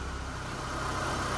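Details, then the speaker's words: 2002 Mitsubishi Lancer LS, revived after sitting about four years, idling close to two minutes: low, smooth, quiet idle with even beat, no ticks or knocks; healthy idle. "all right so if y'all listen it's been oddly for close to two minutes now just listen to how quiet this thing is"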